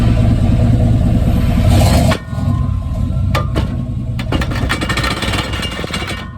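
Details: 1995 Chevy Silverado pickup, 5.7 V8, iPhone taped underneath the truck: heavy rumble, then a few sharp irregular clunks over the running noise; suspected drivetrain clunk, cause not yet pinned down.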